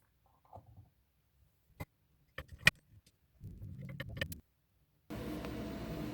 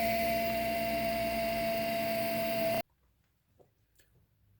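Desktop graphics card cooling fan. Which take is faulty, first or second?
second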